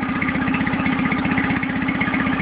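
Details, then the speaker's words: Nissan 9.8 outboard on first start, choke fully in: fast chuffing idle with uneven beats and heavy shaking, smoother with a little choke or throttle; owner hopes it improves after break-in or adjustment; rough idle. "hoping it idle a little smoother than that maybe once it gets broken in or I need to adjust something yeah that's rougher than a two-stroke right there"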